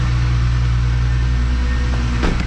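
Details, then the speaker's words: 12v VR6 Jetta wagon first start after engine refresh with timing, clutch and maintenance done: even, smooth idle with a brief light throttle blip, no misses or knocks; some steam, likely residue burning off exhaust. Normal idle. "first try not bad it sounds smooth let's just see"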